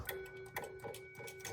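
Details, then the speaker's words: Bally Kings of Steel pinball after repair of a shorting rectifier board feeding the Squawk and Talk sound board: crisp regular ticking effects over a steady tone from the speaker; sound output normal. "Oh, I heard a bong. It's making sound. I might have fixed it."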